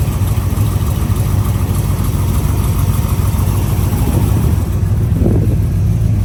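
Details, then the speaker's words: 1972 Corvette, 383 stroker with aluminum heads and intake, Holley carb, Muncie 4-speed, recently restored: loud deep even burble through Dougs side pipes, steady with no misses or knocks; healthy strong idle. "it's TurnKey it fires right up it's strong it's real strong it's so much fun to drive"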